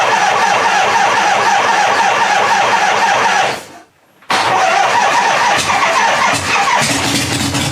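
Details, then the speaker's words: Rattling front exhaust pipe on a 1975 Harley-Davidson FLH Shovelhead, first start after revival with points ignition and a temporary fuel jug; loud uneven V-twin idle with a tinny rattle over the beat, smoky, oil on the pipes. "And I just realized this this front pipe is rattling."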